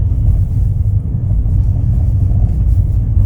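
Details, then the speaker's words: Kia Ray at 338,000 km in winter, cold engine: deep heavy rumble pulsing low whenever accelerating while driving, fading once the engine warms up; owner fears it may stall, cause not identified. "우리도 조십 주행 중에도 엑셀만 밟으면 소리가 꽤 크게 나고 멈출 거 같아요 차가 조금 달궈지면 그래도 소리가 안 들리게 [음악] [음악] 됩니다"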